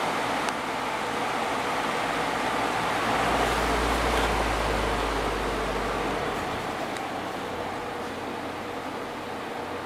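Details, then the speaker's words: Vintage Dayton 12-inch HV fan after motor cleaning, oiling and clean blades: smooth rush of air with soft steady hum, no ticks or scraping; running normally, likely moving more air. "It's probably blowing more air now that the blades are clean."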